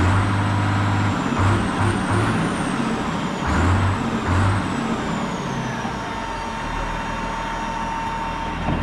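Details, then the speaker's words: Road grader's rebuilt 8.3 Cummins diesel, heavy uneven chug at idle, smoothing slightly. Still a long crank to start, sounds better the more it runs. Owner suspects the pump advance is hanging up; Seafoam fuel treatment added, earlier knocking gone. "The more and more I run it, the better and better it sounds. Still a long crank to start."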